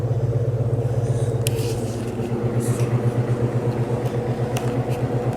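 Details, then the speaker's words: Vintage GE F11W16 box fan on low speed, drawing about 2 amps, rotor not perfectly round and motor running hot (around 160°F), needs oiling: steady low hum with faint even pulse; motor hums loudly. "fan definitely is a little bit louder as far as the motor is concerned than the other one like if you're running this upstairs you can hear this motor humming through the floor"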